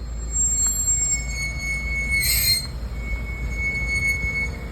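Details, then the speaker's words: Grand Vitara front wheel, after 10-40 km of driving: a thin, steady high squeal over the rolling rumble with a brief harsher burst. Dust buildup in the front brakes; they were cleaned and the caliper pins greased. "കുറെ ദൂരം ഓടി കഴിഞ്ഞിട്ടുണ്ടെങ്കിൽ front സൈഡിൽ നിന്ന് ഒരു sound വരുക wheel സൈഡിൽ നിന്ന് തന്നെയാണ് കേട്ടോ"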